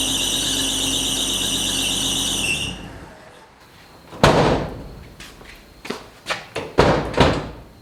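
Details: 1980 Chevy C10 short-bed stepside square body, left for dead and just revived after the fuel line was put back together: a steady high-pitched squeal rides over the engine for a few seconds, then stops. Loose, slipping drive belt.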